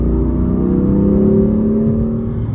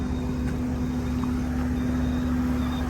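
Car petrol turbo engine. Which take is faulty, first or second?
second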